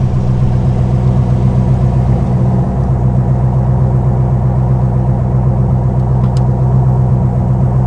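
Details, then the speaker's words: Custom 1956 Studebaker Sky Hawk V8 with a mild roller cam, after a built-transmission and higher-stall-converter swap, revved: a deep, even, docile rumble with no knocks or rattles; a normal V8 exhaust note. "As you can tell, it's got a mild roller cam in it, so it's a very docile motor. It's very mild."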